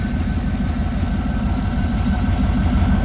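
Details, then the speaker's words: 1979 Trans Am V8 after a tune-up: initial timing about 13–14 degrees, vacuum advance reconnected, choke disabled, still some electrical gremlins. It settles into a deep, even burble at about 800–850 rpm with a gentle lope and no knocks or misses. Healthy idle. "Oh, no, if we got the buzzer, she'll start. There we go. See? Not too shabby, really."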